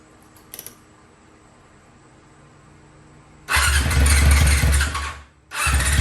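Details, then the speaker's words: 2001 Yamaha YZF R6 carbureted, first start in 3 years after carburetor rebuild, jets changed and chain adjusted; problem was bad gas: quiet, then engine catches, runs loud and uneven, sags briefly, picks up and keeps running. "It's been all day working on this thing, but I finally got it started. It was rough. It was real rough."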